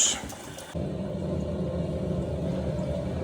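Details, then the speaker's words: Loft cistern refilling: after a clunk, a steady loud droning rumble holds as it fills; a very loud ball valve that the customer wants replaced. "should be picking it up on camera, but that is a loud ball valve. Very loud. I can see why he wants it replaced."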